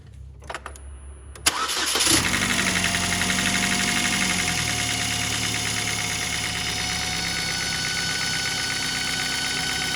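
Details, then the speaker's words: 2008 Chevy HHR 2.4 Ecotec starting and idling after a new housing was installed: a thin steady whistle persists, so the noise did not go away; vacuum leak whistle. "Well, noise didn't go away."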